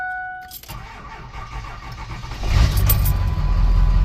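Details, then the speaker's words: 2002 Ford F350 Super Duty diesel, 411,372.6 miles, batteries reading about 12.8 V: starter turns the engine over sluggishly, about three and a half beats a second, before catching. Slow cranking, cause unknown; separate no-start in park traced to loose shifter column screws. "It's slow cranking. I don't understand what's up with that."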